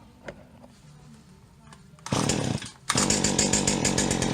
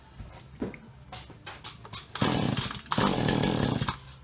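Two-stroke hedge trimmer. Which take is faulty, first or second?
first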